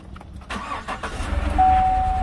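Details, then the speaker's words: 2015 GMC Silverado towed in for stalling and running terrible; hood open at startup, engine catches after brief crank then runs rough and uneven with stumbling pulses at idle, worse than a simple misfire. "that's not good that is not just a misfire either holy crap"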